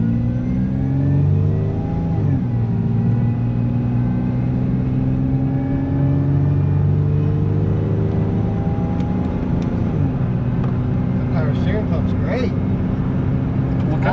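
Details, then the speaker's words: 2002 Toyota Tacoma shop truck, first drive after a solid axle 3-link coilover swap: under a rumbling drive, a whine rises and falls with engine speed like a supercharger. Noisy power steering pump whine. "It's almost as much of a piece of as a power steering pump on this thing."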